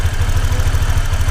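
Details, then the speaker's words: Honda Click125 after engine rebuild with new crankshaft, valve clearance and timing corrected after hard starting and loud ticking: low, steady, even idle thump with no loud ticking; engine idles quietly and healthy. "Pero yan talaga ang standard. Yan, okay na. Tapos na gusto na, tahimik na yung makina."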